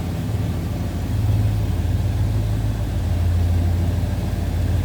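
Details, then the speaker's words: 1968 Ford Galaxie 500 2-door hardtop, 390 V8, warmed up and down off high idle: deep, steady, even burble with no knocks or ticks; normal idle. "And it is running smooth. I'm going to slip to the back too so you can hear it on the lower idle. This car sounds good."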